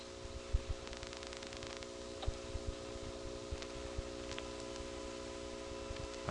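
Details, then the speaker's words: Failed call in 1978 through a Siemens motor-switch exchange in Florida (Salt Springs/Crystal River): a faint steady 360 Hz buzz under a quiet line with scattered clicks. "I don't know if you can hear this, but there's a 360 hertz buzz."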